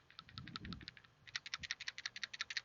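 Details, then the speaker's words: PCV valve for a 2nd-generation Dodge Neon 2.0L, shaken by hand: crisp, light clicking, roughly a dozen sharp ticks a second; a valve that rattles freely is usually still good. "but that's an easy telltale right there if you hear it rattling freely a lot of times that means it's still good"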